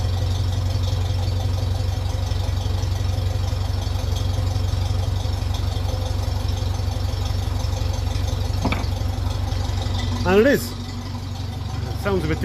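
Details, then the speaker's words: 1957 Ferguson 35 TVO tractor idling after the leaking exhaust sleeve joint was tapped down to seal: a steady, low, even thump with no puffing from the exhaust. It is more silenced now the leak is gone. "through the exhaust now as well with that leak gone sounds a lot more silenced"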